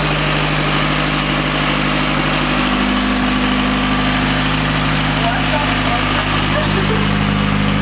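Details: Honda Civic 92-95 EG5 with a D16Z6 92 kW engine, first start after a full rebuild: steady, even idle with a smooth low hum and no knocks or misses; a normal, clean idle.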